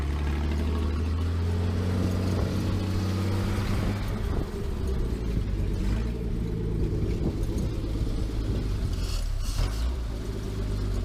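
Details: 1949 Chrysler Windsor sitting since the 1950s, with automatic choke, running after a wire fix: steady deep even rumble, no knocks or misses; owner reckons it won't run without the choke.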